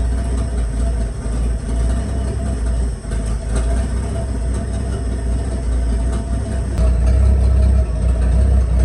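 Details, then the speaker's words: 1986 Ford F150 pickup started in a closed garage right after fuel tank replacement (old tank leaking, strap rusted through), running on filtered reused gas, no catalytic converters: steady, even, deep idle with no misses, knocks or surging. "oh don't want to do that too much in this closed up garage SHO ain't got no cats to filter out the exhaust"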